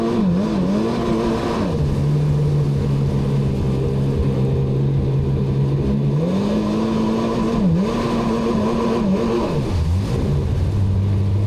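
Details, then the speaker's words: 2003 Sea-Doo GTI RFI jet ski on lake test: engine winds out freely, revs rising and swinging without bogging, moving under its own power but little or no propulsion; worn jet pump wear sleeve, needs replacing. "It's going to need the jet pump sleeve. It's no good. The thing is just winding out, and no propulsion or very little propulsion."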